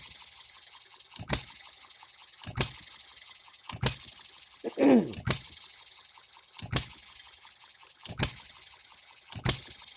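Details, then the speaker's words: Economy hit-and-miss engine after a new piston and re-ringing, running on 90-octane fuel: sharp firing pops about every 1.3 seconds with quiet coasting between, evenly spaced; running healthy and fairly even. "here we go it's a running engine now it it is his it is hitting and missing it sounds good it's fairly even"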